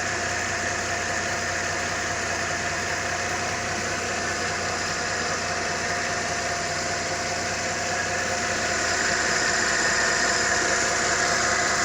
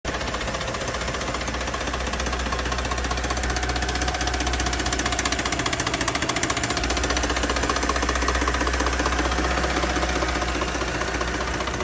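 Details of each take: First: Mercedes-Benz M272 engine, after repair for an engine knock: smooth, even idle with a steady hum that rises slightly near the end, no knocking heard; sounds healthy. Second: Mercedes-Benz M272 engine (W211) before repair: hollow, even knock about four times a second over the idle from pistons rocking in scuffed cylinder bores; piston slap.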